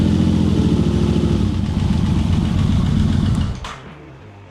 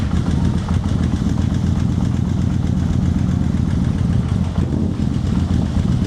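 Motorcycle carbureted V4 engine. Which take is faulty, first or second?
second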